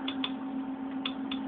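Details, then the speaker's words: Old hard drive: sharp, irregular ticks in pairs over a steady spinning hum, about four in under two seconds, from the heads crashing against the disc, a failing drive. "that's a bad sound as you know what that is is the heads crashing um against the disc or you know basically it means that there's a problem"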